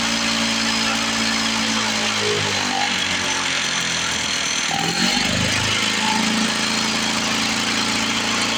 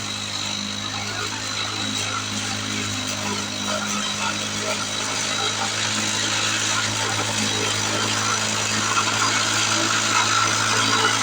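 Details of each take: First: 1970 Lawn-Boy Buttercup two-stroke mower (model ~30237), run after carb spray cleaning: buzzy idle sags and picks back up, surging; owner suspects old gummed fuel or a sticking needle valve in the carburetor, otherwise running pretty good. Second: 1970 Lawn-Boy Buttercup two-stroke mower cutting thick wet grass, blade unsharpened: steady high buzz holding pitch under load, no bogging or sputter; runs strong.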